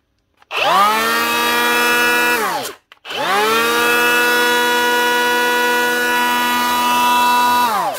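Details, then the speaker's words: DeWalt cordless planer after a new bearing and new plastic case half: two clean spin-ups to a steady high whine, smooth with no rattle or grind before winding down; sounds much better, normal running. "Sounds much better. That's her. Ready to go."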